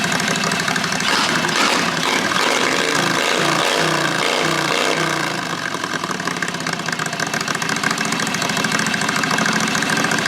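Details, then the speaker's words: John Deere JD214 mud mower with Predator 670 V-twin, cold start: loud, blatting, harsh raspy exhaust; muffler has only packing, no baffle or dB killer fitted. "this is the muffler without anything in it just the the packing there's no baffle no decibel killer so here's here's what it sounds like without that in there"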